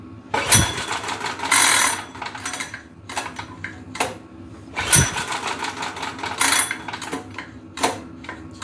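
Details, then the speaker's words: Go-kart engine unused about two years, pull-started with choke on and fresh fuel. Sharp recoil pulls every few seconds with no firing; fuel and spark are present and compression is to be checked next, and the engine later proved blown. "What is going on with this pull starter? Choke off. Well, did we lose spark? Got fuel. Got spark. I guess we should check compression."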